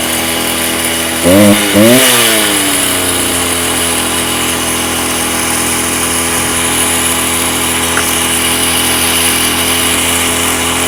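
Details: Stihl TS350 Super cut-off saw, two-stroke, restarted after rebuild with new cylinder, piston, crank bearings and seals: blips up with rough, hesitant rev rises, then settles to an uneven high idle; boggy running, needs carb adjustment.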